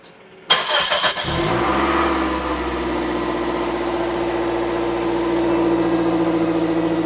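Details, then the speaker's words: 2006 Toyota Matrix 4WD after muffler replacement, with the missing exhaust gasket under the clamp replaced: engine catches, settles into an even, steady idle, then revs smoothly with no rasp, rattle or leak puffing; exhaust sounds healthy. "Feels good and sounds better, too."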